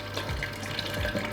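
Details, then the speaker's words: KegLand BrewZilla Gen 4 35L all-grain brewing system, first use with sanitizer for cleaning: pump activated to recirculate, steady water rushing and splashing over a low even pump hum, no rattle or surging. "Right, I'm going to put some sanitizer in, you're going to activate the pump to get it recircling. Oh yeah, and there she blows."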